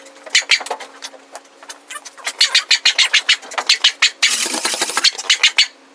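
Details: Budget Beater Chevelle, sitting since 1987, on its first start attempt. Quick chuffing cranking bursts give a brief rough catch, then it dies; it turns over but struggles to fire. The owner suspects the distributor cap is two teeth off its mark; unconfirmed.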